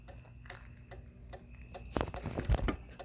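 Sharp light ticks roughly two or three per second in a quiet room, steady and even; the light's relay keeps clicking instead of switching on.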